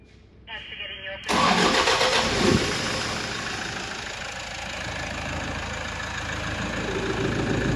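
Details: Toyota Hilux LN106 freshly swapped to a 1KD-FTV diesel, run briefly: a brief crank, then it catches cleanly and settles into a steady, even idle with no knocks or misses.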